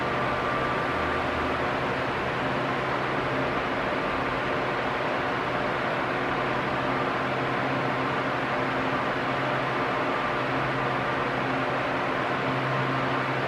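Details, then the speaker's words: Arno Silence Force 40 cm fan, almost two years old, on medium speed: steady airy whoosh with a faint low hum that never rises and falls; normal running. "É, ele pode vir a fazer algum barulhinho de trepidação aí, que não é um ventilador perfeito, todos fazem barulho de trepidação ao longo do tempo."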